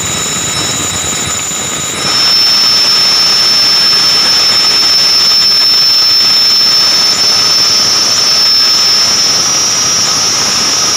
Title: Abnormal sound coming form ac fan belt